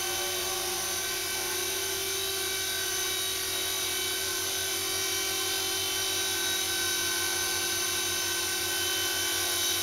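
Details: Blade mCP X micro RC helicopter after a Z8RC boom truss mod gives a steady, high whirring whine with no shake or rattle; smooth rotor run, where it previously vibrated badly.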